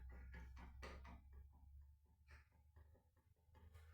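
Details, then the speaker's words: Scrap Vivaro M9R782 2.0 L engine being stripped, bare crankshaft turned by hand: slow heavy clunks as each journal takes up play, with three big-end bearings completely gone; severe crank and bearing failure. "This must truly remarkable amount of noise with three big ends gone."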